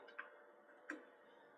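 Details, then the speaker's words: Newly replaced 2-port zone valve, wired with a 5-way connector and powered on with the boiler running and the cylinder calling for heat: three soft clicks under a second apart as the valve motor drives over; normal zone valve operation. "Yeah, look, there you go. That's already motoring over. Hear the click."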